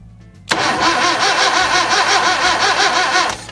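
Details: 1966 Datsun 520 truck abandoned 40 years, after rebuilt spark plugs, rejuvenated battery and refitted wires: about three seconds of steady rhythmic starter churning with uneven chuffs, tries to fire but never catches; cranks, no start.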